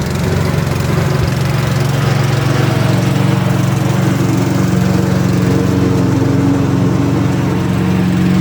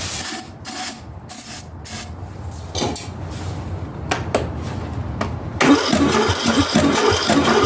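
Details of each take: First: Ariens/Husqvarna riding lawnmower single-cylinder engine after a new carburetor, intake manifold, head gasket, flywheel, battery and ignition; steady low chug at constant speed with no knocks or misses, running healthy. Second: Ariens/Husqvarna riding mower engine cranking in short bursts without catching, even with starter fluid; the compression test read about 45 psi against 90+ good, leaking down; the head gasket was later replaced.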